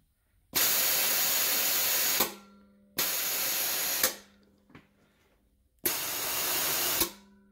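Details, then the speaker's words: Ford XR6 Barra turbo wastegate actuator bench-tested with compressed air up to about 120 psi on its vacuum line: air hisses straight through with each blast instead of holding pressure. The diaphragm is split and the actuator has failed. "you can hear air just blowing straight through it, which means that the diaphragm has split and failed in the actuator."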